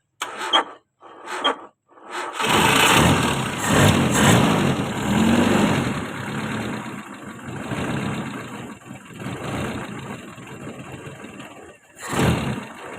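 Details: Toyota 4K engine, quick diagnosis: two short cranking attempts before it catches, then an uneven hunting idle that sags and nearly dies; hard starting and rough idle, cause not confirmed.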